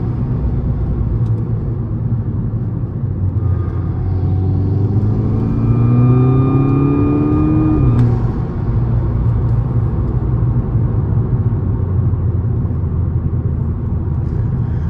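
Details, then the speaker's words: VW Golf Mk6 GTI with aftermarket intake, stock diverter valve, POV drive under hard acceleration: flute-like whistle rises with boost then cuts off at the shift; boost leak past the diverter valve, owner plans a GFB DV+ upgrade. "you guys hear that that sort of flu sound uh for the people that don't know that is Boo leak I still need to have a better blowoff valve"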